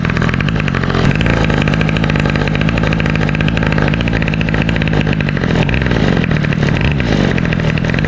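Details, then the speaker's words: 2003 Toro 51938 trimmer with a 25cc two-stroke, cold start that fired on the first pull; crisp, even high-pitched buzz holding steady with no stumbling or misfires, running cleanly. "that sounds so good [Music] man that was a sick cold start fought on the first pole that is insane"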